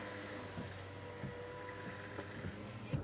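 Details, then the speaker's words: Dodge Caravan power window after repair: window had scraped and squeaked going down only with door shut; after refitting door parts and window lip, faint smooth motor hum as glass goes down, no scraping; normal operation. "now it goes down with no noise it's not scraping any longer"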